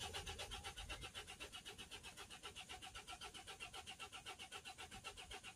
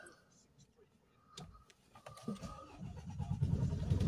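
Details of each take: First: Mercedes Sprinter 2.1 diesel, crank no start with fault P0087 fuel pressure too low: steady starter churn just over two turns a second, never catches; live data shows fuel rail pressure at zero, no fuel reaching rail or low-pressure side. DPF fault present but its pressure is not high enough to stop starting. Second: Mercedes Sprinter 2.1 diesel that would crank but not start (P008700 fuel pressure too low, DPF codes), after refitting fuel pump fuse 6 and ignition cycles: brief cranking, then it catches and runs evenly; live data shows rail pressure 250, within 200–300.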